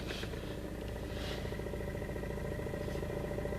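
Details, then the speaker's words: VAZ/Lada with the engine idling: a steady droning hum as the clutch pedal is pressed, from a release bearing that has failed or is close to failing; the pedal also vibrates, worst when reversing. "думаю слышно этот звук указывает нам на то что значит выжимной подшипник либо развалился либо он уже как бы на грани"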